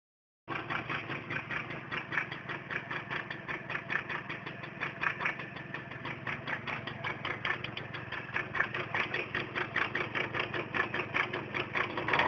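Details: Tomos two-stroke moped idling: quick, even metallic ticking about five a second over a thin buzzy exhaust note; clutch rattle noise.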